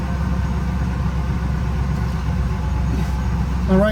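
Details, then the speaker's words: 2000 Ford Excursion after fixing a crank-no-start, running after a connector was reconnected: steady, even low rumble with no misses, knocks or surges; idles smoothly. "guys so we can hear running now"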